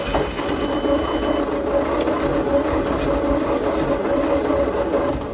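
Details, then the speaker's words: Leyland/Austin/BMC FG COE truck (owner thinks Austin), plug gaps just opened: engine cranks with uneven puffs and odd weak catches, never running up; two cylinders dead from stuck valves, pumping oil out, though oil pressure present. "It's very much trying, but it is, 2 cylinders are not helping, so that's great."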